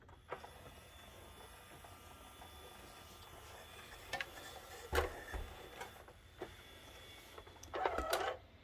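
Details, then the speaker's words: Yamaha CDC-755 five-disc CD changer whose tray would not come out, after repair, pressing open/close: soft clicks and a short motor whirr as the mechanism cycles smoothly; working normally. "so if i hit the open close there it comes and it's you know it's got power"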